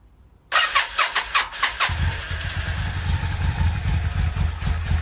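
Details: Yamaha XV 535 Virago V-twin, laid up about 10 years, final start attempt: a few quick cranking bursts, then it catches and settles into a steady lumpy idle; starts and runs fine.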